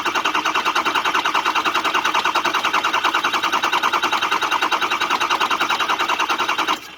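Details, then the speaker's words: Ford 6.0 diesel after oil cooler, turbo and EGR delete work, cranking on starter to prime oil with oil at half on dipstick: steady even churn, about 200 beats a minute, no catches; healthy oil priming. "that's the sound you want to hear a consistent repetitious even sound"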